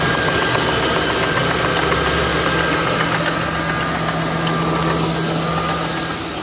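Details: 2002 Ford Crown Victoria P71 V8 idle: quick, light tick about three to four a second, rising slightly behind engine rpm; a broken-off plastic PCV oil baffle flapping against the cam lobes.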